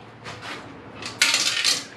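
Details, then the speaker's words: 1998 Kawasaki ZX9R under restoration, fuel tank removed and empty of fuel: bright metallic rattling each time the tank is tipped, like something loose inside; cause unconfirmed, tank dented, internal corrosion unknown. "like there's something in there that shouldn't be um it's empty of fuel anyway"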